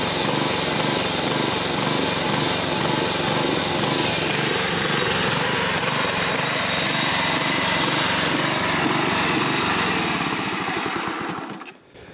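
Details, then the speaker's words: John Deere 14SB push mower (trash find, missing recoil, carb removed and inspected only) at half throttle runs with an uneven, lumpy beat then cuts out; rough running, carburetor likely needs a rebuild. "so the carb more than likely needs to be rebuilt that doesn't surprise me"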